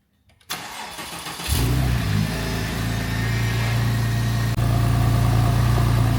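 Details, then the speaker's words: Porsche 996 Turbo cold start during a pre-purchase check: brief crank, quick catch, then smooth even idle with no lifter ticking or abnormal turbo noise; normal cold start and idle. "So, as you heard in that clip, this is really nice and smooth. No real noises from the turbos that are, you know, abnormal and yeah, just idles nicely. No noise from any lifters and stuff like that."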